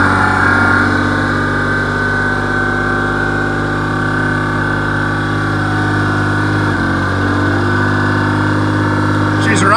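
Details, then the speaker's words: Dodge Stealth, first start after rebuilding the 6G72 engine: a loud, raspy chuffing pulse at idle. Suspected to be a big exhaust leak at pipes not fully tightened to the turbos; oil pressure is OK. "Oh sounds like massive exhaust leak but I think that is cuz there is a massive exhaust leak I can't get that pipe back they're tight to the turbos but she fired up"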